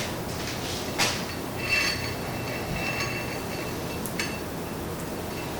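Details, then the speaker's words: Honda Rancher 420 ATV rear drum brake after fitting brand-new OEM shoes: light steady scraping, grinding hiss with a faint high squeal as the wheel turns, normal new shoes wearing in; brake stops wheel instantly. "So you'll notice here, if you listen carefully, a little bit of grinding kind of noise. That's normal. That's just the brake shoes started to wear in. They're brand new."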